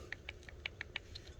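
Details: 2021 Traxxas Slash 4x4 Ultimate RC truck, gears turned slowly by hand: faint light clicks, several a second; a small even click like this means a properly adjusted pinion-to-spur gear mesh, checked through every tooth.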